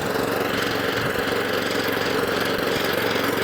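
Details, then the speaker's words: Suffolk Punch Atco Allett mower, Kawasaki FJ100 single-cylinder, after a full carb clean, with cylinder and drive engaged and cutting grass; steady, even running under load with no misses or surging. "That's cutting too. Bit of grass coming out the old front."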